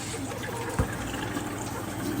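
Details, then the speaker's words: Maytag washer, model thought to be MVWB765FW1, in diagnostic mode on the hot valve test: a soft, steady trickle of water into the tub with no buzzing or chatter; the hot inlet valve fills normally. "so then we hit soil level to one get the cold valve we got a little pee pee hot"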